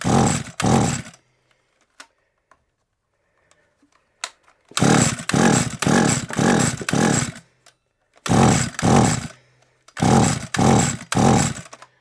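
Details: SGS Engineering 26cc two-stroke strimmer, choke on: sets of quick recoil pulls, engine coughs but never catches. It fired on the first pull, later found a very wet plug, and the owner suspects water got in; no-start.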